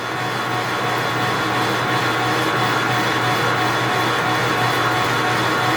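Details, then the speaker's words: Precision Matthews 1640 lathe turning 7-inch cold rolled steel toward 6.5 inches, 20 thou cut with carbide insert: steady motor hum and smooth even cutting hiss, no chatter or squeal; sounds and feels good, decent chips, a little heat. "Everything sounds good, feels good, looks good. Chips are decent, making a little bit of heat."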